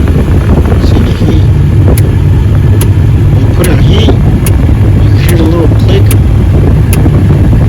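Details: 2003–2006 Ford Expedition with the AC on: sharp regular clicks about every 0.8 seconds over a low engine and blower rumble from the failing front heater blend door actuator; the noise stops when the dial moves slightly.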